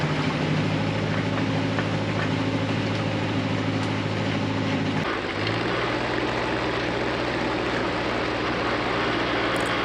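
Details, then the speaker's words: Nissan SD22 2.2L 4-cylinder diesel in an Oliver OC-3 crawler loader with half a 720 pickup transmission, first gear: steady diesel drone with even beat, note drops and settles midway as it takes up load; pulls cleanly. "the half transmission worked great the first gear speed wasn't too fast at all"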